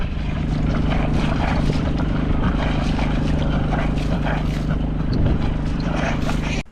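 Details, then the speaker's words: Catalina 30 sailboat diesel engine, previously submerged in 3 ft of water, newly running: even steady low thrum with no knocks or misses until shutoff, slight belt movement noted; normal running. "Everything's reasonably balanced and sounds fairly nice for an engine that was underneath the water."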